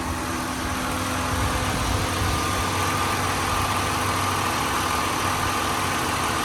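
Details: 2001 Nissan Maxima GLE, 132,000 miles, timing-chain engine, heard with hood open: smooth even idle with faint steady whine, no ticks, knocks or misses; healthy.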